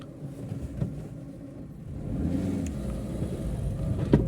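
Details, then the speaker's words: Maruti Eeco CNG van, 31,000 km, idling after throttle body cleaning and throttle calibration: smooth, steady engine rumble with no RPM fluctuation, the hunting when switching off CNG now cured. "इसमें स्मूथस sound कोई are RPM फ्लक्शनल नहीं है"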